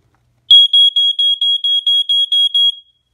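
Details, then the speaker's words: Ventek/Visual Alert FA100 smoke alarm/strobe from the early 1990s, plugged in: about ten sharp, high-pitched beeps at roughly four per second, measured near G sharp, then it stops. It repeats, sounding normally on test. "like just sounds and flashes and the stops sounds flashes and stops"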